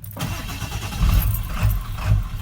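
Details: 1997 Ford F350 7.3 Power Stroke diesel, about 99,573 miles: rough idle surging up and down about twice a second; runs normally in neutral, and the cause is found to be a bad neutral switch on the side of the transmission.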